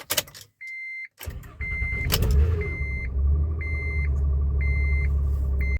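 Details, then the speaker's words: 2011 Honda Odyssey cranking on a cold day, with the door chime beeping: a rough, uneven crank catches into a running engine. The starter is suspected and is being replaced. Cause not confirmed. "Hey guys, today I'm putting a starter in this 2011 Honda Odyssey because when it is cold outside, like it is now, it sounds like this."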